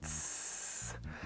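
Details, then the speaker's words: Titan 440i airless paint sprayer in prime and then clean mode: a steady high hiss with motor hum pulses, hissing as the pump stops at shutoff, showing a failing prime valve (part 700-258) that needs replacing. "i'm going to put it in clean if you can hear this noise when it just turns off it sounds like it hisses"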